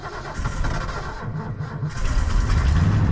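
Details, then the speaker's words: 1989 Ford F-150, fuel-injected 302 V8, four-speed, odometer 66,771 (at least 166,000), unstarted a while, cold night around 20°F: uneven labored cranking about three beats a second for a couple seconds before catching and roaring up; hard cold start. "Starts up okay. I'm surprised it started that hard, but it ain't started in a little while."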